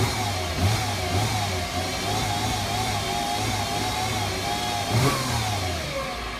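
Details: 2008 Mercedes-Benz C300 V6, stock exhaust, cold start and revving: a wavering high tone rises in pitch with rpm over the engine from a failing alternator; a replacement alternator cured the noise.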